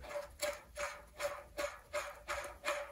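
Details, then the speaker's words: 1966 Mercury 9.8 hp outboard gearbox, disassembled, gear turned by hand: rough regular clunks about three times a second from one worn bearing, suspected damaged by water found in the gear oil; all bearings to be replaced. "how that banging sounds compared to here anything there nothing so that bearing is the one that's making all the noise"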